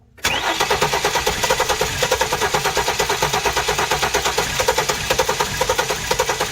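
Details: Flood-damaged 2016 Hyundai Genesis accident car with a swapped engine computer reverted to the original. It cranks with an even, fast chugging rhythm but never starts. The crankshaft position sensor signal looks suspect, with the same result using a good sensor.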